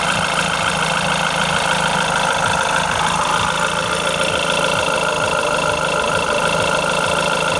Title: bruit moteur 2 clio rs 003